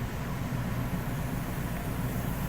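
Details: 1999 Ford Expedition 5.4L V8 idling with an uneven, lumpy low beat: cylinder #6 misfire from a bad #6 fuel injector found with scan-tool live data and an ohmmeter; bank 2 running rich, adding fuel.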